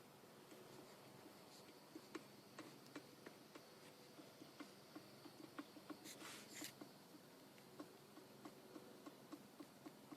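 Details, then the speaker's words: 1995 Dodge Neon with front wheel raised and rocked by hand: faint light knocks about three a second from a worn wheel bearing, suspected cause of the death wobble; ball joint and tie rods are tight. "think you can kind of hear that that's the bearing moving back and forth hopefully that is the source of my death wobble"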